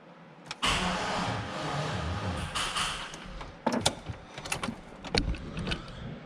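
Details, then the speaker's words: Long-sitting Chevrolet Silverado, 290,000 miles, manual with clutch in: starter cranks about 2.5 seconds with no firing, then a few clicks; cranks but no start, and the fuel in it is old. "All right, we crank and it sounds like there's something happening in the engine, so that's good. But no fire."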